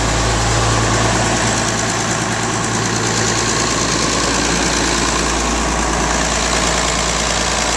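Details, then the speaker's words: Rebuilt tractor diesel just after its first start following the rebuild, with a run-down battery: a loud, steady idle with an even chug and no stray knocks or misses; it idles normally. "Good light here for you. This sounds pretty good."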